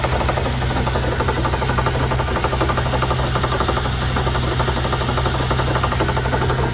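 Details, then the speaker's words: 2001 Chevy Suburban after a loud pop and jerk at 70 mph; loud, harsh metallic grinding with a rough beat about three times a second from the rear; differential with broken, bent limited-slip parts. "Sounds like it's coming out of the differential. So that's going to be fun."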